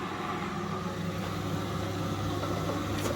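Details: Indesit 9 kg, 1400-spin washing machine running an actual wash with top and back covers removed, on its first drain: a steady low drain pump hum with water gurgling over it as the drum empties normally.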